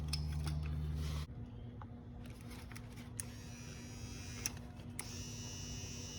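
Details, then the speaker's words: 1995 Ford Mustang GT spare power window motor bench-tested before install, replacing a failed one: short smooth electric whir at steady pitch, stops cleanly; good motor, window works once fitted. "Yep, this one's good. Okay, I got the new motor in there."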